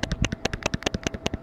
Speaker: Ко когда сильно мотаешь тогда слышно А так нет